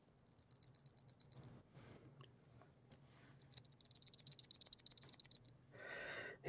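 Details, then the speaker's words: Kirby G3 vacuum transmission refurbishment: small metal clutch assembly, not yet oiled, turned by hand gives bursts of fine loose metallic clicking, rattling all over and a little rough; dry clutch rattle, oiling with 3-in-1 oil cured another one. "just rattles all over the place and it's it's a little rough"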